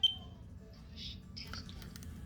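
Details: Smoke detector a few years old with a non-removable battery, beeping every 30 seconds with a fast-flashing green light: one short high chirp, then clicks as it is handled; a reset attempt failed, end-of-life malfunction.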